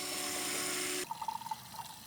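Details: Pontiac G8 GT supercharger install, newly mounted pump: steady electric whir with smooth pitch, then stops as fluid trickles; pump runs and circulates fine.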